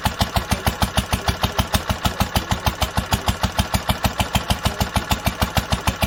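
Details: 1946 International Harvester LBB 3-5 hp water-cooled engine, first cold start after sitting covered a long time, started on the next pull after two choked turns; slow, crisp, even firing a bit over two beats a second, no misses or knocks, running healthy.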